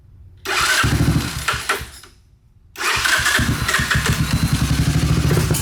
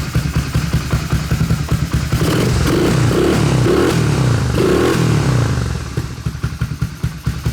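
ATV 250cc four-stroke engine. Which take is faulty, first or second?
first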